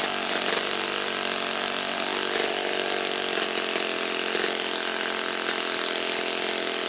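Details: Saito FA-56 four-stroke glow engine, first run after cleaning and bearing replacement, on a 12x6 prop, OS F plug and 5% Omega fuel during a tuning and static-thrust run. A loud, high, steady buzz with no misses or rattles: normal running.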